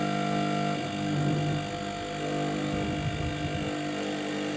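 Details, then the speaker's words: 852D+ SMD hot-air rework station: loud steady buzzing drone with dense tones shifting slightly with air speed setting; air pump rather than fan, screwed down rigidly without damping feet, also runs after-cycle to cool nozzle. "the thing is that in it's it's quite noisy and i was expecting it to be more like a fan inside that puts air through the um through the nozzle but it seems more like it's a pump"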